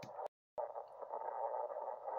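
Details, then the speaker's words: Ham radio on 3526 kHz, 80 m band, insulated 20-gauge wire dipole, very dry clay soil: harsh crackly static with sharp sparking pops spiking to S9, impulse noise from a nearby power line. "if we listen for a while what happens see the impulse noise spiking way up up to S9 see the staticky almost sparking sound"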